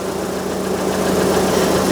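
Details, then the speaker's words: 2000 Rover 75 Club 1.8 K-series, cold and slow to reach temperature, air conditioning off: the radiator fan runs high over a smooth cold idle when it shouldn't, with some clicking. Head gasket suspected, under investigation. "There She Goes that shouldn't be running the fan why shouldn't it be"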